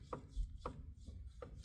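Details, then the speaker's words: Ford Expedition front driveshaft rocked by hand: three sharp metallic clicks from worn U-joint play, cause of customer's clicking in drive at 40-50 mph or under; rear driveshaft fine, front driveshaft replaced. "there's a play. This play is what I'm hearing."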